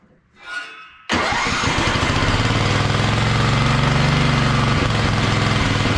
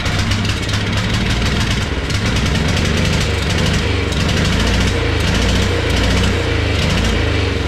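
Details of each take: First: Wheel Horse mud mower with Tecumseh engine, Mikuni-style slide carb, governor arm removed, needle clip at richest position: engine catches first try and settles into a strong, even run with no misses; now running good. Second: Wheel Horse mud mower, stock Tecumseh carb swapped for Mikuni-style slide carb, first start after priming, no air filter: small engine runs lumpy with uneven surging bursts; owner suspects too much fuel pressure, flooding it.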